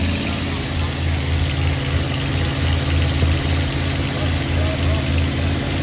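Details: 1986 Chevy Hi-Cube van V8 revived, carburetor and vacuum lines being sorted: deep idle with loud raw chuffing pulse about 3.5 per second; sounds like large exhaust hole.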